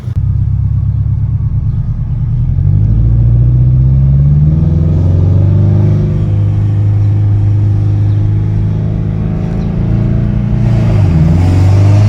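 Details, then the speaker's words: 2013 Scion FRS with newly built replacement engine (stock engine's head gasket failed), on test drive at about 5 psi boost, kept under 3,000-4,000 rpm during break-in: deep, steady drone rising and easing with throttle, no knocks or ticks; healthy. "Sounds so good. Doing like 5 pounds boost, maybe tops, not too much."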